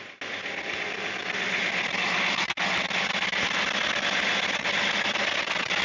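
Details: Big Caterpillar diesel in the engine room of MV Gallivant, idling cold, while primary Racor fuel filters are switched over to watch the new vacuum sensor gauge: loud, steady, even roar with no knocks or misses; normal idle.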